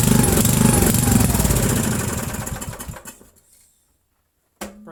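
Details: 8 hp Briggs & Stratton with remote primer, started on choke after sitting about 5 years, new fuel line and filter: catches and races flat out with fast even firing, then sputters and dies after three seconds; runs only at wide-open throttle, dirty carburetor suspected.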